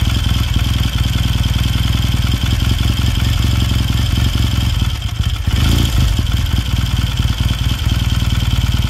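Steady, even low-pitched idle with a regular firing beat and no knocks or rattles; a healthy twin running smoothly.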